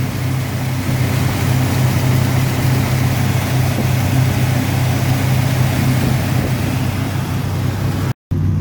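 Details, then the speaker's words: 1977 Ford F-250 Dentside 4WD V8, revived after sitting 15+ years, after its fuel pump was repaired. A steady, low idle rumble with a slight unevenness in the beat, running on its own without stumbling. Not the cleanest sounding, but it runs. "she may not be the cleanest sounding vehicle right now but that's some project for later on but so far I'm just happy it runs"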